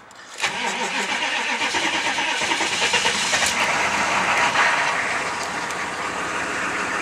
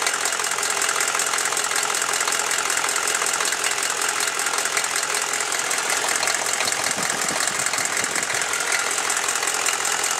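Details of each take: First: Chevy 6.5L diesel start-up, still cold: brief crank, catches at once and runs with steady clatter and no knock. It runs fine cold and develops a knock only after warming; the owner suspects a valve. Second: Chevy 6.5L diesel warming at idle: loose, fairly quick tick about four per second over the clatter, appearing only once warm and worse after revving; owner suspects a valve or rocker arm needing adjustment, unconfirmed.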